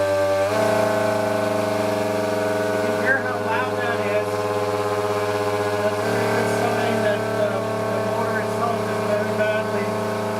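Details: Electric motor on a Coroplast delta wing RC plane, held by hand indoors at steady throttle, Mobius camera fitted without dampening mount; loud, steady high-pitched drone with buzzing edge; excessive vibration, owner says motor/prop very badly balanced.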